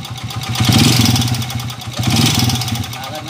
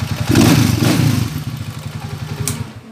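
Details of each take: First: Honda TMX125 single-cylinder motorcycle, previously converted to 155 and being returned to stock: after two blips it idles rough and loud with a steady clattering knock from the connecting rod; overhaul planned. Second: Honda TMX125 motorcycle after overhaul fixing a noisy engine, valve clearance adjusted; single cylinder thumps evenly at idle then winds down at switch-off, steady beat, no knocking, smooth like new.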